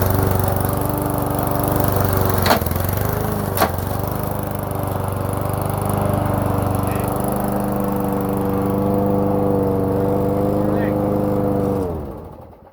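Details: Toro lawn mower with a 3.5 hp Briggs & Stratton single-cylinder engine, cold start on a cold December morning: it runs with a slight rise and fall in speed, then dies. It starts and dies; owner wonders if it is not picking up fuel and the carburetor needs rebuilding.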